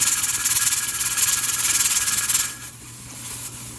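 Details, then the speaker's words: Pressure canner with 6 raw-pack jars of boneless chicken thighs: rapid hissing puffs about three or four a second from the jiggling regulator weight, then easing off, normally holding 10 psi. "So what that's doing, it's not allowing the pressure canner to build up any more pressure than 10 psi or 10 pounds."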